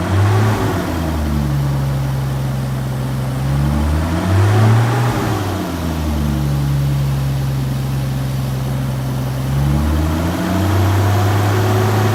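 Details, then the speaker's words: Turbocharged Toyota Supra found to have a huge boost leak in front of the throttle; low engine drone surging up and down every few seconds, never settling, a hunting idle until the leak was plugged with a glove. "so once I figured out that there was a huge boost leak in front of the the throttle I closed it up with a little glove right there"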